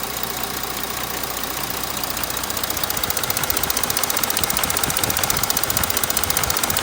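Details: Audi 3.0 TDI diesel at idle with a sharp even tick about two and a half per second over it; cause not yet determined.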